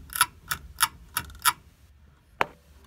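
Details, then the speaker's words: Beechcraft Bonanza aileron control check during inspection: sharp metallic clicks as the yoke turns left, the clamp on a small sixteenth-inch cable striking a bracket; fix is loosening the clamp and rotating it. "when I turn the ailerons to turn the yoke to the left boom right there the end the end of that cable is hitting holy bracket"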